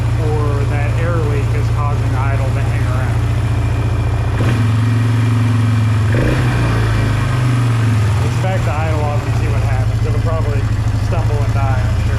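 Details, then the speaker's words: 2005 Polaris Trail Boss 330 that sat for years, idle slowed down: small single idles unevenly, hanging and dipping with stumbles and coughs rather than settling; intake air leak found. "let's slow it down just a bit now let's see if the idle still hangs around over me comes back down a little better still sounds stumbly though see there's a Le right there"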